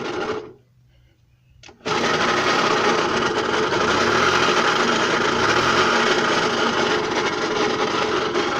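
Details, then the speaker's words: Puch moped two-stroke engine after fuel system fixes, no choke: runs with a constant harsh rasping clatter; owner suspects it is coming from inside the transmission, cause unconfirmed. "want to get that noise sorted so we can do a first ride [Music] it does sound disturbingly like it might be coming from in the transmission"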